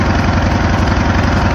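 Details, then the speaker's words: Craftsman LTS 2000 riding mower, 19.5 hp, sat about two years, after carburetor and belt replacement: steady even drone holding one fast speed with no rise or fall; engine running but stuck at high speed. "okay so as you can hear it's running but it's only running at one Speed high speed so I need to get that check"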